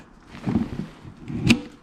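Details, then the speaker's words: Motorcycle pannier mount latch giving two crisp, solid clicks after grime and grit were cleaned from the latching mechanism. The latches seat and lock properly with the indicators green. "There you go. Big boys are all green, clicked in there."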